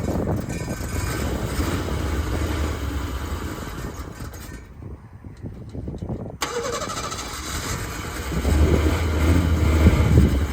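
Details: 1976 Ford Pinto after fuel pump was rigged with new wiring run over the hood, pump not bad: engine catches after a brief gap and settles into an even, steady idle; running fine again.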